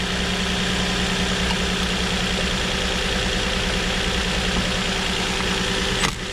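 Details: 2007 Nissan Murano 3.5L V6 with a cylinder 3 misfire at the rear bank, diagnosed by swapping coils front to rear. An uneven, loping idle with a recurring stumble on five cylinders: misfire from a faulty ignition coil, fixed by a new coil.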